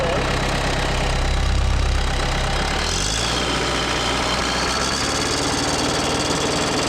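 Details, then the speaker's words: Case 430 skid steer with FPT 4.5 diesel, running wrong after falling on its side: uneven idle-to-high-rpm run with an irregular miss and a dull knock present only when revved out; misfire with knock at high rpm, suspected injector issue, not confirmed. "It's definitely missing. Definitely missing, and it's only got that knock when you're revved out."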